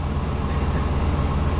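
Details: 1996 Chevy dually pickup, 454 gas V8, 4L80 transmission, idling after fuel pump replacement: deep, steady low rumble with an even beat and no knocks or misses; sounds healthy.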